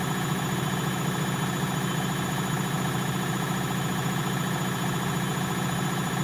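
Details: Bosch WFL246SGB/01 washing machine on an Easy Care 40° test wash at full spin: steady, even whirr at constant pitch with no rumble, knocking or grinding; drum bearings sound healthy.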